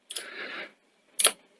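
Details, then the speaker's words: Sony SL-C30 Betamax in standby, after fixing the alignment of the gear that actuates a loading microswitch: short rustle of the cassette going in, then two crisp clicks about half a second apart; the switches now actuate properly. "so when you push this in it's it's on in standby at the moment you should hear one click two clicks"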